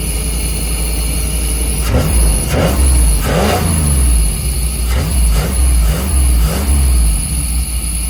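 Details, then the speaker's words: 1990s Chevy 350 5.7 V8 campervan after replacing fouled spark plugs and cleaning ground wires: catches and picks up cleanly on several quick throttle blips, no stumbling; owner thinks it idles too hot, may adjust timing. "All right, I didn't want to make this like a long, drawn out how-to video, but swapped out the plugs and I cleaned the ground wires off, and Bluey is back."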